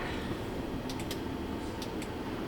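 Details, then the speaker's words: 2008 GMC Yukon Denali 6.2L that stalls once warm and then won't start or communicate, CAN low shorted: faint, irregular light clicks over a steady hiss, like a relay chattering behind the dash; cause not yet known. "I'm hearing something clicking inside the dash again I don't know if that means it's coming back alive"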